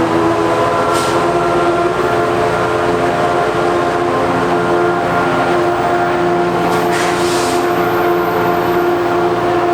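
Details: NJ Transit PL42AC #4000 locomotive (EMD 710 engine): steady droning vacuum-cleaner-like hum over idling diesel with brief hissing; abnormal engine noise, cause unknown.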